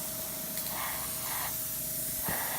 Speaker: right you hear that sputtering I don't have my water kept on my airbrush anymore we're broke I need to get a new one but cage they all get water in there cuz the line I have a water catch on my air compressor itself but whatever reason doesn't work out as well as it should